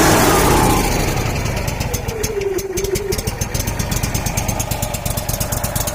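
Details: Kohler Command twin-cylinder engine on a Miller Bobcat welder, crank-no-start from a faulty carburetor fuel solenoid, with the solenoid bypassed/powered: fires, drops from a high start speed and settles into a steady even twin beat about three pulses per second.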